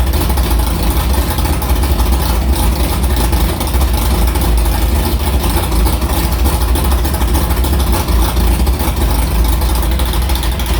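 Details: Carbureted V8 hot rod with Prosystems carb, idle air bleeds changed .070 to .055 after a track carb issue, ~80°F day, fired up quickly; deep, lumpy, steady high idle with no stumble or dropouts, a normal clean idle.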